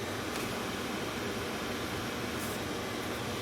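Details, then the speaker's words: Mercedes Sprinter with key out of the ignition: steady airy whoosh of the blower motor running on, which drains the battery overnight; the blower regulator or its wiring is being checked as the cause. "I hope you can hear that and right now the key is out of the ignition okay but the blower motor is running so this is a problem"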